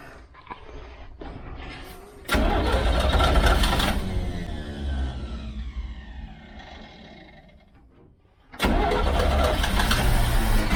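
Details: 1969 Chevy Van six-cylinder, off the road 35 years: starter grinds, engine catches into a steady low idle, then catches again cleanly; sounds healthy, though it isn't pulling fuel and owner suspects the fuel pump.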